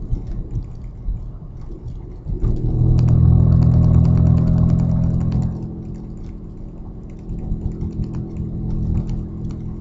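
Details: Audi A4 2.8 12V starting: loud deep chuffing swells, then rough tractor-like puffing idle; exhaust leak right after flex pipe, before the cat, leaving one bank open; later repaired.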